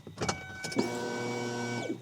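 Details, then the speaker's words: 2001 Ford Escape 2.0L after fuel pump and filter replacement, key turned to on: steady even electric hum for about a second then stops cleanly; pump primes normally, no leaks. "can hear the fuel pump in there now yeah turn it off turn it on okay looks good to me don't see any leaks at all"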